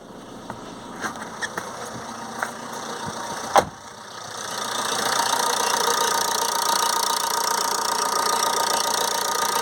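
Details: 2007 Ford Transit Connect 1.8 TDCi, earlier crank-no-start with P0087 low rail pressure, started after fitting a secondhand injector, with glow plugs: a few clicks, then smooth steady idle, no misfire or hunting.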